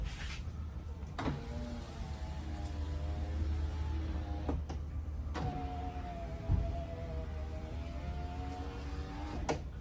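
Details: 2008 Toyota Tacoma rear window that previously popped and made noise going up and down, after door-panel repair; motor hums smoothly in steady strokes starting and stopping cleanly, no grinding or binding, regulator healthy.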